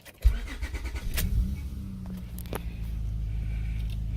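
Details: Acura/Honda cold start: short crank, catches and settles into an even, slightly fast idle with no stumble.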